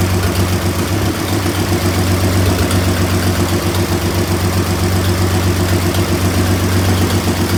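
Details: 1926 Oakland started after 75 years unrun, restarted with its rebuilt generator hooked up: a slow, even low thump with a steady beat and no knocks or misses, the old engine idling smoothly.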